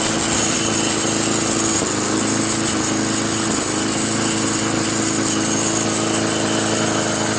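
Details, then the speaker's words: Craftsman Eager One 4HP Tecumseh 20-inch push mower after carburetor replacement: steady drone with a thin, tinny buzz on top; owner suspects a small thin metal bracket or inner sheet metal vibrating, not confirmed. "it's a car like a metal small little metal thin bracket vibrating that's what it sounds like"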